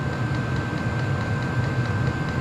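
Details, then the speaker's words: Diesel heater on level 10 (high), wide open: even, strong fan roar with a steady combustion rumble, no surging or ticking; running smoothly at full power. "Now it's running full wide open, it sounds like. Amps are going up. It's pumping more fuel and it's moving more air."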